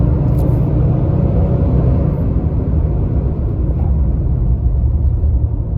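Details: 2022 Nissan Titan driving with the viscous fan clutch stuck locked: deep, constant jet-like roar over engine and road noise; intermittent failure that the dealer did not find under warranty.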